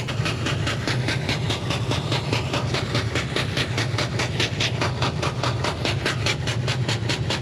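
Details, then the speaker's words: Diesel-fired Steam Jenny 200 Plus steam cleaner, repaired, running with soap drip feed and hot water: even rhythmic whooshing pulses over a low steady roar, slight steam hissing that smooths as it boils, consistent burn with no smoke; normal running. "you can hear the a little bit of hissing for the steam [Music] now as it boils it Smooths it out a little [Music] bit seems like it's working okay we got a consistent burn"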